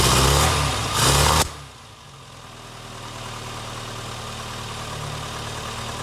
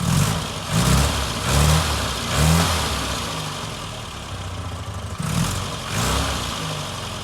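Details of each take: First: Barn-find Austin Maestro carburettor engine, cold, after leaning the mixture and raising idle speed. A couple of loud blips, then a faint uneven hunting idle. It runs rough and the mixture and idle screws still need setting. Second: Barn-find Austin Maestro after fuel pump replacement, no fuel leaks, near-freezing weather: the petrol engine catches and revs cleanly in several blips, then settles to a steady idle with no knocks or misses; normal running.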